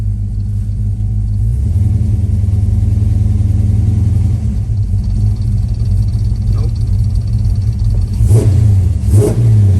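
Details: V8 with Holley Sniper EFI after the lean condition was fixed and all four injectors firing: strong steady idle taking a couple of quick throttle blips crisply with no stumble or popping; running right.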